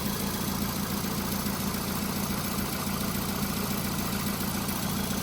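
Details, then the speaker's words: 2004-2008 VW Golf 1.6 FSI, high mileage, cold start after full service: brief timing chain rattle settles immediately into steady, even idle with no knocks; engine sounds good. "This is a cold start. I've just started it this morning, so um it's not like it's warmed up already. So, the engine sounds good to me."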